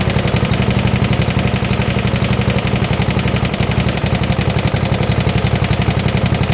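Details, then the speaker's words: 1972 Gravely 816 with Kohler Command 18, running after carb modification: steady heavy knocking about four per second over rough low idle, a loud bottom-end knock. Cause not confirmed; motor judged pretty much blown up, likely why parked; power steering not working. "Well, that's never what you want to hear. Power steering is not really working either. It's knocking pretty good."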